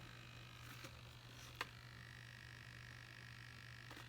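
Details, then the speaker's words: 3D-printed Iron Man helmet with an Arduino-controlled faceplate servo powered by 4 AA batteries: a faint, steady low hum with light clicks, because the batteries are going dead. Servo hum. "batteries are going dead on the servo that's why you hear that huming"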